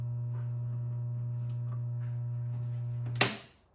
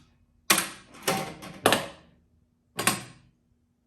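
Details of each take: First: 1978 Williams Phoenix pinball machine, first power-on during restoration after a burnt audio amplifier: a loud, steady low hum from the speaker regardless of volume, then a clunk as power drops; soundboard still faulty, no game sound. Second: 1978 Williams Phoenix pinball machine, first power-on after restoration, in the solenoid test mode: eight sharp mechanical clunks about a second apart over a faint hum. The solenoids fire one by one normally.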